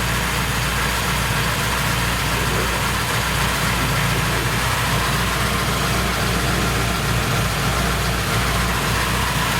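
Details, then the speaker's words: Petrol engine with Январь 7.2 ECU, no stored fault codes, warm at 82 °C, idling: busy metallic chatter over the hum; timing chain sometimes rattles; owner reports poor idle before warm-up; valve adjustment planned. "иногда цепь тарабанит"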